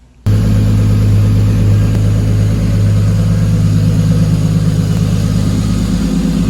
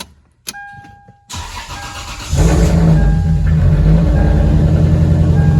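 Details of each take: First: Lexus IS300 petrol engine idling smooth and even with a steady low hum after a misfire fix; the misfire came from a pinched coil wire, and the car had sat about two months with a dead battery. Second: Lexus IS300, sat about two months with a dead battery, jump-started, after parts were unscrewed and reconnected: engine cranks, catches quickly and idles with an uneven, pulsing beat; still sounds like a misfire at idle.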